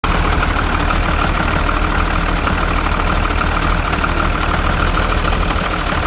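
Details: 12-valve Cummins diesel at idle: loud, heavy clatter with an uneven, lumpy beat instead of smooth running; owner suspects the injection pump, not confirmed. Rough idle.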